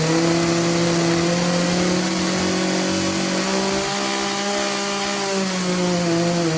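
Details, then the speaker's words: Craftsman 18-inch 40cc chainsaw that bogs under load and won't wind out, before carb adjustment: a high-revving two-stroke scream that wavers and sags, lean high-speed mixture; fixed by about three-quarters of a turn clockwise on the high-speed jet. "that's that's as high as this is gonna go right now just because it needs that adjusted and set"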